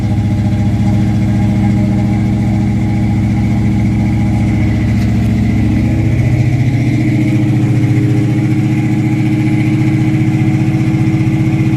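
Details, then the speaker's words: 1976 Camaro with a rebuilt Holley 4-barrel carburetor and a newly connected electric choke, started cold at about 50–60°F: a fast, steady high idle that drops only slightly when the throttle is tapped and lasts about two minutes. Owner suspects it is set too high. "i think that's way way too freaking high and then if i tap the gas it should kick down and it kicks down a little bit"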